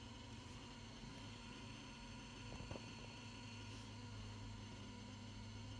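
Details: Truck won't start despite battery reading 13.8 V and jumping the starter directly; with key on, check-engine and battery lights flicker while a steady, low, obnoxious electrical buzz sounds with the engine not running; cause unknown.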